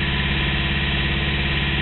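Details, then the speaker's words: Engine idling shortly after a cold start, smooth at first; after about a minute a low pulsing shudder swells in rhythmically like a Jake brake; owner wonders about EGR or exhaust leak, compression test pending; cause unconfirmed. "that that's what it sounds like exactly what it just did are just kind of kicks in like that that's why I said Jake brake because very unusual could that possibly be the EGR"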